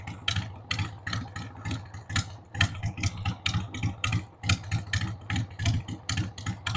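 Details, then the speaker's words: 1993 Harley-Davidson Sportster 883 Evo V-twin, sat about 15 years, started on starting fluid with a dead battery: uneven, loping idle with lumpy exhaust pulses about two per second that stumble and vary in strength; rough idle, owner says the carb needs cleaning. "Needs the carb cleaned, but man, the drive belt's in good shape."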